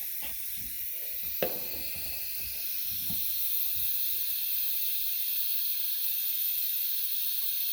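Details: Aluminium radiator on refilled central heating after coal fire back boiler removal: steady sharp hiss of trapped air escaping the bleed valve, no water spitting yet; air being bled off.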